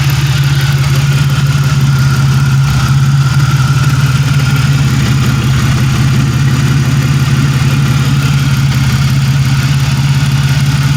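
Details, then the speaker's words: 1997 Pontiac Grand Prix GTP coupe idling with no catalytic converter fitted: an even, steady idle with a deep, loud exhaust drone and no misses or knocks; normal idle, running great. "man she's running great nothing no no cat on there"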